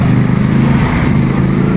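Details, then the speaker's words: Yamaha NMAX version 2 scooter: rough, uneven engine note with ragged firing and level dips, stumbling, misfiring and stalling when the throttle is opened fully; diagnosed as an injector problem. "Palyado po siya, namamalya, at namamatay."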